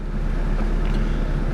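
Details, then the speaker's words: Mitsubishi 4G92 (automatic), after repair of hesitation, no idle and misfire (coil, plug leads, airflow sensor), warm: low steady even idle settled at about 1000 rpm, no hunting or surging; healthy idle, though engine mounts shake. "อันนี้ก็จบรอบนิ่งแล้วเนี่ยรอบเขาคือใครตายตกลงมาเหลือพันนึง"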